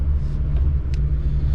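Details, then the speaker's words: Twin Yamaha F200 outboards on a Jeanneau Merry Fisher 895 at 2100 rpm, about 19 litres per hour, 9.6 knots: smooth deep even drone, no knocks or surging; normal running at cruise. "So 2100 RPM, that's brought us up to, as you can see there, middle top, 19, just around 19 litres per hour, 2100 revs,"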